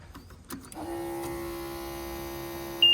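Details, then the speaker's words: 140 digger, ignition on: electric fuel lift pump starts buzzing after the fuel pump relay was swapped with the headlamp relay; a few clicks, then a steady mid-pitched buzz. Normal fuel lift pump operation. "Got an electric lift pump buzzing now, and I have a feeling it might want to start if I plug the exciter wire on, so I'm just going to move some tools out the way and do that."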